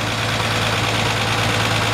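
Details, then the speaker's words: 1948 Ford F1 flathead six, converted to 12-volt with alternator, idling after drive: steady even idle with light quick solid-lifter tapping; healthy, normal. "Just nice and quiet. Nice one hand opens her right up. That's just a healthy flathead 6 right there. You can hear those solid lifters tapping away."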